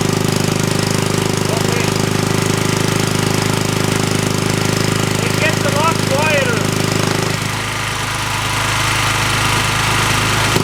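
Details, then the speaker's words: Hollingsworth air compressor small engine with only a small muffler under the cooling shrouds, before an extra muffler was fitted, restarted after flooding: rapid, regular, loud sharp exhaust popping: loud exhaust from an inadequate muffler. "Let's try and start it up again and we'll listen to how how much the exhaust pops."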